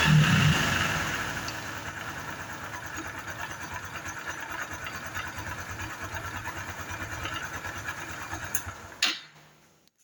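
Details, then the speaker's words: Honda Biz 110i that is hard to start cold and won't hold idle until hot, fuel pump pressure correct, no error codes: an uneven idle with a heavy, loose, rod-like knock about three a second before it cuts out; worn camshaft bearing. "Outra coisa também, pessoal, ela tem um barulho no motor, um barulho muito forte aí, como se fosse na biela, pessoal. Biela batendo, né? Uma roncadeira muito forte no motor."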